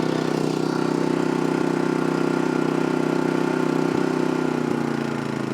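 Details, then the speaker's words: MaXpeedingRods MXR4000 inverter generator, just filled with half a quart of 10W30, no load: quiet even hum cycling down into economy mode with no knocks or misses; normal idle. "So, that's the economy mode. Did you hear it cycle down? And that's full mode. Boy, it's quiet. I like it."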